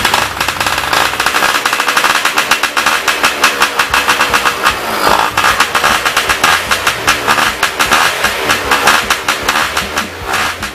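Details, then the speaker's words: Yamaha Y110SS two-stroke idling after cylinder boring with new piston rings: rapid popping surges and sags, idle still unstable; likely blocked carburetor, subsequently removed and cleaned. "Now its problem is the same as before, idle speed is still unstable. It is very likely that its carburetor is also blocked."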